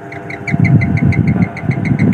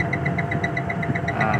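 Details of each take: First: Daikin 8 PK central air conditioner, about 20 years old, not cooling, tripping its breaker, compressor heavy: heavy low drone with uneven chattering pulses and rattle that never settles; rough-running compressor. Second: Daikin 8PK central AC with a tripping MCB and a compressor starting to sound rough: steady low hum with a light, even ticking about five times a second. It runs without the protection cutting out.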